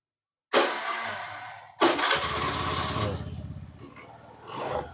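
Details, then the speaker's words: Honda Beat FI scooter that cut out while riding, powered directly from battery positive to the ignition switch, bypassing the fuse: starter whirs, then the engine catches and idles cleanly. The fault was a broken fuse-to-socket supply. "Nyala ya. Tapi kalau nggak melalui sekring bahaya, jadi tetap kita cari yang bagian mana yang putus ya."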